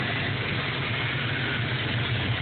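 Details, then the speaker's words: 1987 Ford Mustang 5.0 V8 at operating temperature with a failing fuel pump giving about 20 psi, after the Schrader valve is bled: dull, uneven low burble that never settles; rough running as fuel pressure cannot be maintained. "Then it started running like crap, so it almost sounds like it can't maintain the pressure."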